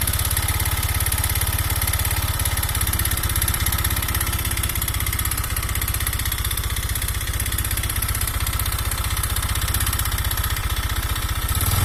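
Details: Honda Vario 125 fuel-injected single at idle, firing about four times a second with an uneven, coarse patter. The piston is loose in the worn cylinder block, causing weak compression and hard starting.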